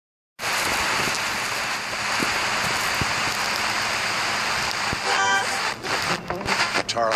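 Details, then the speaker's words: FM tuner being tuned: loud hissing static with sharp crackles and pops from oxidized tuning contacts in the tuning condenser, green corrosion visible; fix is cleaning the condenser. "so that scary noise that you're hearing is due to oxidation of the tuning contacts inside of the condenser assembly of a tuner"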